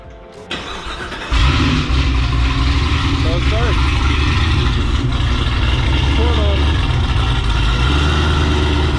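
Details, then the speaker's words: 6th-gen Chevrolet Camaro after installing a new Antigravity lithium battery replacing a dead Diehard, following a parasitic drain hunt: brief brisk crank catching almost instantly into a steady idle with deep exhaust burble, healthy starting. "i will say the cranking the car up to start is instantaneous so we'll go ahead and do that so you guys can hear"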